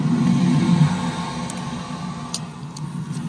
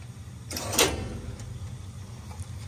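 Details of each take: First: Lochinvar Noble boiler after full teardown and burner cleaning: low rumble on ignition, then a quieter steady roar with no popping or flame-outs; flame sense 10.9 µA (must stay above 8), high and low fire combustion readings good. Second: Lochinvar Noble steam boiler just after the pressuretrol was replaced: one sharp bang rings through the piping over a low boiler rumble; banging in the steam pipework, cause unclear, and a pressure reducing valve is suspected to help.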